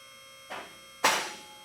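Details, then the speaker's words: Advantage lift raised all the way to the top on its first run before any adjustment: steady pump hum with the locks clicking out of step through each hole, so the lock cables still need synchronising. "You'll hear the locks clicking as it's going up through each one of the holes. At this point, we have not adjusted them, so they're not clicking all at the same time."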